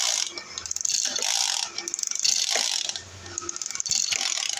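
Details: Two-stroke 767 sprayer engine, fuel line improvised, repeated quick ratcheting recoil pulls with no firing; spins but never catches. Owner suspects fuel delivery and adjusts carburetor fuel needle.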